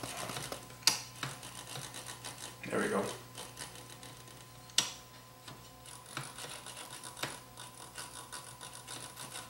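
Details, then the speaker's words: Vintage Toshiba SA7150 2-channel receiver after restoration: low hum and hiss with knob and switch clicks, and the controls now turn quietly with no scratch noise, though one still has a little noise. "nice and quiet now start our music up"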